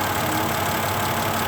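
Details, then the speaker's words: 2002 Mercedes C320 station wagon, non-4MATIC, after cooling fan replacement and plugging it back in, engine idling with AC on: steady even rush of fan air, no rattles or surging. Normal cooling fan operation. "we're going to give it a chance to actually start working on its own"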